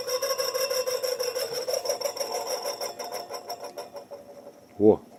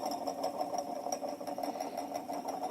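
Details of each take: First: Moskvich 410 heater blower motor, removed from the car and bench-run: it hums and rasps at a steady mid pitch, then winds down, with low speed from a sticking brush; it later wore in to 2 A but still needs overhauling and centering. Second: Moskvich 410 heater blower motor, once squeaky with a sticking brush and weak speed, after commutator cleaning, brush springs stretched and old coked grease replaced: it runs with an even mid-pitch hum, no squeal or grinding.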